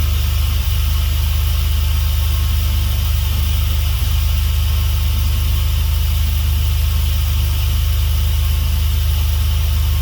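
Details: Swapped Dodge 3.7 V6 in a truck, idling after new crank and cam reluctor rings fixed a no-start; some smoke from spilled oil. Deep steady hum with an even beat of about 214 pulses a minute, no knocks or misfires.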